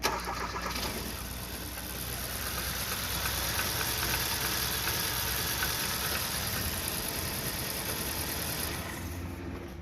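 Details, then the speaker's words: 2014 Kia Rio no-start: manually grounding engine control relay command wire, relay clicks, engine cranks briefly, catches and runs steadily, then dies when ground removed; relay fine, ECU ground command missing. "نسمع صوت اشتغال الريلي، وعند تشغيل المحرك فإنه يشتغل، لكن إذا قطعنا السالب نجد أن المحرك ينطفئ."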